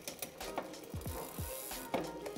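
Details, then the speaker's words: Shimano mountain bike rear derailleur after setting the end-stop limit screw in the smallest cog/hardest gear: freewheel ticking, chain whir and crisp shift clicks, no clacking; shifting clean. "es ist nichts am klackern der schaltvorgang funktioniert sauber"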